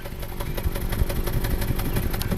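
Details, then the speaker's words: 2014 Subaru Forester 6-speed manual, 120,000 miles, code P0301: idling with a steady exhaust pop about six a second from a cylinder 1 misfire; plugs, coil and injector already replaced; low compression. "pop, pop, pop, pop, pop, pop, pop, pop, pop, pop. Low compression, that's going to be our culprit."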